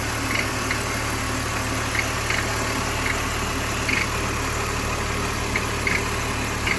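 Smooth idle hum with sharp irregular chirps or ticks popping through every second or so; abnormal noise, source unclear.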